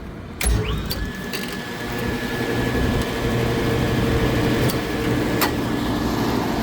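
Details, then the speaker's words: Trane rooftop unit at a restaurant, condenser fan motor rated 13.4 amps bumped for testing: rough, uneven drone with a thin whine and odd ticks; motor failing but not drawing over current. "it's also like a condenser fan motor going down in there but it's not over amping so that's a plus yeah that's a problem that sounds like junk"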